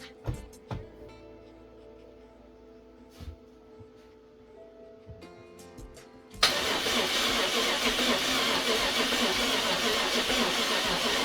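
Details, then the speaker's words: BMW F10 550i N63 V8 after hydrolock rebuild with cylinder wall repair, first start on a replacement battery: cranks steadily about five seconds but never fires; ignition circuit supply code, a big red wire connector was found unplugged. "This didn't go as planned. Ignition circuit supply. No ignition voltage supply."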